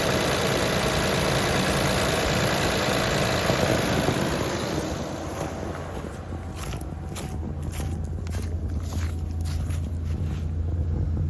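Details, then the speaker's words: 2020 Nissan Pathfinder SL, 121,948 miles, idling after an engine flush, coolant flush, CVT service and Sea Foam High Mileage additive: light regular ticking at about three per second, which the owner calls timing chain tick, now much quieter. "You can still hear the timing chain in there ticking, but it's much quieter than before in my last video."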